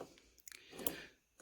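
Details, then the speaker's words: Magneto on a modified McCormick Deering Type M hit-and-miss engine, tested off the engine with the spark gap at about 31.5 thousandths. Sharp crisp snaps give a robust spark, yet no spark occurs once mounted on the engine; owner wonders whether it needs faster turning. "you can actually hear you can you can hear the spark it's quite robust"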